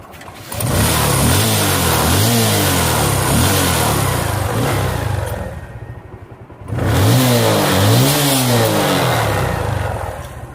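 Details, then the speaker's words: Bajaj Pulsar motorcycle after fixing an exhaust leak by tightening the exhaust fastenings with a 12 mm spanner: engine revs twice, rising and falling smoothly with a clean exhaust note and no leak puffing. "जैसा कि आप देख सकते है कि हमारी आवाज बिल्कुल बंद हो चुके हैं"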